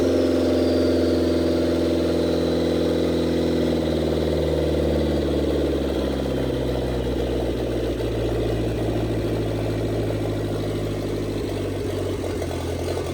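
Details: 1927 Ford Roadster with 2.3 L turbo, first start after fuel line repair on 91 octane, downpipe not yet welded: steady idle easing to a lower even speed, no knocks or stumbles; running normally, no leaks.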